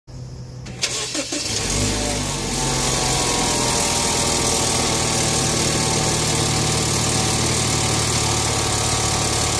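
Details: 2012 BMW X1 petrol engine cold start: cranks, fast cold idle with loud busy metallic rattle lasting about 40–50 seconds until idle rpm settles lower; rattle every cold start.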